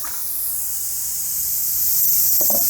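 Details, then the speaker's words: BMW Z3 tire after a machine bolt near the shoulder is pulled out with side cutters: a steady high hiss of air escaping from the puncture as the tire deflates. "And we got the air leaking out of there, so we'll just let that drain out."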